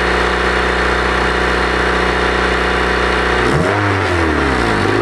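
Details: Honda engine: steady idle, then a sharp rev rise and fall with a raspy puffing exhaust note from an exhaust leak.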